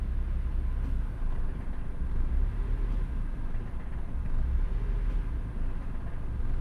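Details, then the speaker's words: Idle tuning on ECU-upgraded car, AC idle increase set to 0 so ECU doesn't raise idle with AC on; low idle surges and sags every couple seconds, dropping below minimum RPM so ECU cuts AC to avoid stalling. "the idle starts going crazy. Now, normally, the engine would just die, but what's happening is it's going below that minimum RPM threshold, and it's shutting the AC off so that the engine doesn't die."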